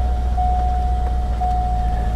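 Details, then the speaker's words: Salvage auction car showing about 100,000 miles (suspected closer to 200,000), check engine light on; steady even idle with smooth low rumble and faint constant tone, no knocks or misses; normal idle. "sounds good where's that hood release there we go check engine light is on"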